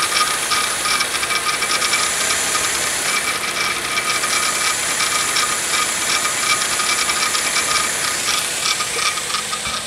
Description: Rattling engine sound recorded from under the bonnet. We turned the engine inside-out but can't seem to find the cause.